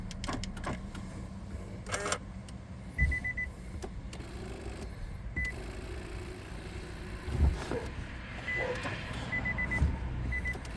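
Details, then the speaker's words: 2010 Nissan Cube, brought in in limp mode: short high warning beeps in clusters of two to four after using the key fob, attributed to the battery not being connected correctly. "Okay, so that's the sound of the battery not being connected correctly."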